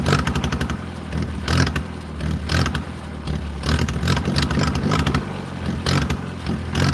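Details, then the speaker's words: 1940s wood splitter with International Cub engine, crank-started cold on a foggy wet day while the choke is finessed. Uneven, lumpy firing with surges and sags, barely hanging on at low speed. Rough running on choke, close to stalling. "See how it wants to die. I'm finessing the choke right now."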